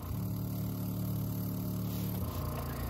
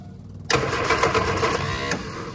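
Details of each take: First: Steady low electric hum for about two seconds, then stopping, as a newly installed fuel pump primes at key-on on an Innocenti S Spyder, first time running from a tank outside the engine bay after carburetor work; normal fuel pump priming. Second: Innocenti S Spyder fed from a fuel jug because of a clogged tank and line, after bleeding air from the fuel system: short burst of fast, even starter chatter without catching; extended cranking, no start.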